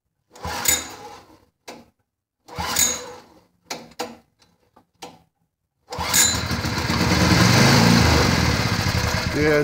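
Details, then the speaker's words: Derelict Honda HS35 snowblower: after several pulls it catches on fuel added to the cylinder, runs raggedly and quits, not drawing fuel from the carburetor; fuel starvation from a blocked carburetor main jet. "so it just burned the gas in the cylinder and quit and that was it it wasn't pulling any fuel"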